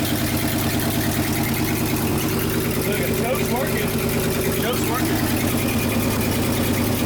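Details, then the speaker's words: 1976 Ford F-600 dump truck V8 with a new Holley carburetor, heard from the rear: lumpy idle with an occasional stumble, an intermittent miss suspected from the points and condenser; exhaust manifold leak also noted; not confirmed. "From back here, we're getting a little bit intermediate miss, I think. That might be just the whole points and condenser setup."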